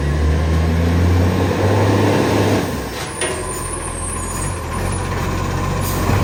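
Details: Refuse truck no. 91 with an exhaust leak, idling: diesel with loud, rapid low puffing ticking about four times a second plus air brake hiss.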